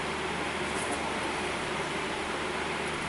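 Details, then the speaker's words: 2006 GMC Envoy with a front rumbling that gets louder in hard left turns; the raised front wheel, spun by hand, gives a dry, gritty whir with no play. Dry wheel bearing, possibly starting to go on both sides. "So, this may be a case where we have a bearing starting to go on each side and we may have to eventually move over here if we don't find nothing."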